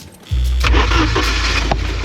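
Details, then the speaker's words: 1982 Porsche 924 Turbo after years of storage, after adding a couple gallons of fuel with jump box and charger connected: fuel pump sounds different, starter whirs briefly, engine catches at once and settles into an even, steady run with no misses; normal start and idle. "Oh, I can hear Oh, it was out of gas. I could hear the difference already in the fuel pump. Here we go. Yep. It's going to run, guys."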